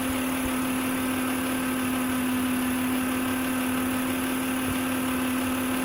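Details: 2006 Acura MDX 3.5L VTEC V6 at idle: clear, constant high-pitched whine well above the engine note from the old failing alternator.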